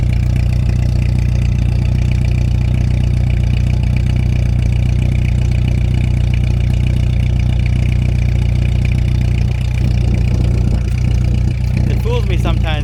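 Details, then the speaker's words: 1989 Volkswagen Jetta MK2 1.8L with louder aftermarket exhaust: after running well for a couple minutes, deep lumpy idle close to dying, smoking; rough idle, cause not pinned down. "now it starts smoking and running really rough almost to the stalling point believe this is as bad as it's gonna get"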